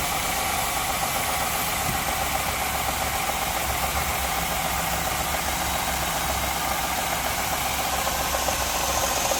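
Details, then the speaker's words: Truck with check engine light and correlation code: loose, rapid metallic rattle over the idle; tensioners suspected, not confirmed. "Yeah, I think that's tensioners making noise."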